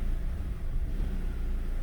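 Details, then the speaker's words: 2011 Chevy Aveo 1.6 four-cylinder Ecotec with a P0300 random misfire, idling in drive. A low rumble with uneven dips and stumbles; the check engine light is off. Cause found: a defective new ignition coil misfiring cylinder 2, despite the customer having replaced the plugs and coil. "I've got it idling in drive now, and I don't know if you're going to be able to hear that on camera, but it is stumbling."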